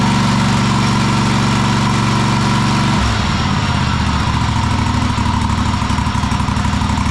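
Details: Cub Cadet Super LT1554 lawn tractor, 27 hp Kohler V-twin, 500+ hours, after head gasket rebuild, carb cleaning and adjustment, air box off: steady even firing after brief change; engine now running correctly, though possibly not revving fully.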